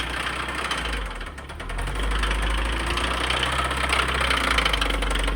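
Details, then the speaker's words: Stock Subaru WRX bought at auction as the knocking-engine car: steady internal knock about three to four beats per second at idle, rising slightly with revs; engine sounds bad. "She don't sound too good."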